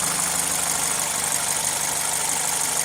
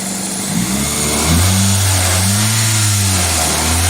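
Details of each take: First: Another Toyota (comparison car with air injection system, not the faulty Celica) warm at operating temperature: steady, even idle around 750 rpm, below 1000 rpm, smooth hiss on top, no knocks or misses; healthy warm idle. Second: 2000 Toyota Celica GTS 2ZZ engine idling high and hunting at 1400-1500 rpm, IAC duty cycle 60 percent, swelling and sagging without throttle; owner suspects idle air control valve or vacuum leak, unconfirmed.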